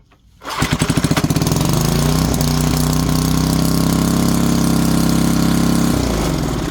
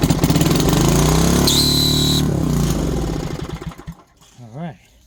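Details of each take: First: 1970s Briggs & Stratton 4 hp single-cylinder on an air compressor, after a starter fix, started on choke: catches quickly, steady even thump with no misses, winds down smoothly; runs healthy. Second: 1970s Briggs & Stratton 4 hp engine on an air compressor, first run with compression suspected low: it roars unevenly, then a thin high squeal under a second as the starter clutch squeals and breaks.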